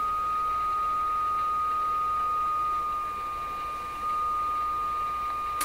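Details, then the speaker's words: Rogers 11RA651 shortwave radio fed an unmodulated signal: a steady high whistle over faint hiss that lines up with the received signal; an unwanted heterodyne tone whose cause is not yet understood. "Now, what about that heterodyne sound? Okay, so this is an unmodulated signal being sent to the radio. We should not hear this tone. The tone is being caused by something I don't understand what it is."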